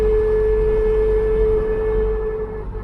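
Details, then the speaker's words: Mk3 Ford Cortina driving after replacing a worn propshaft: a loud steady howl near 450 Hz over road rumble, now worse, possibly from a sharper propshaft angle; the propshaft wobble is gone: rear axle whine. "Okay, apart from the crazy axle noise, which is now worse."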